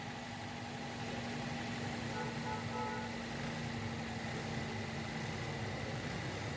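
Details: 2010 Toyota Corolla GLi petrol engine idling steadily and evenly with no stumble, miss or knock, after misfiring repair work.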